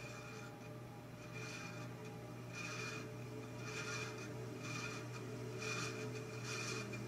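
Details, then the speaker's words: 1948 ILG model 213 exhaust fan, rewired motor, first test run on low speed: quiet, steady low hum with a soft swish about once a second; low speed runs really smooth, unlike high speed. "i did notice that low speed did run really smooth but high speed however it didn't seem like it sounded all that great"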